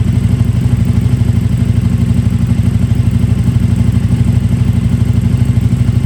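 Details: KTM RC8R with a swapped 2020+ third-gen 1290 Super Duke engine and electronics, first start after the swap: deep, even, steady thrum of about three beats a second, no knocks or misses; normal idle.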